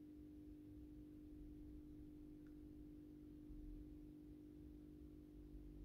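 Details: AEG Minikoffer West German aluminium post-top mercury vapor streetlight (80/125 W) on its first startup after rewiring per the ballast schematic, 125 W Osram Deluxe bulb. Quiet, steady low mains hum at one even pitch, nothing loose or buzzing: normal ballast hum.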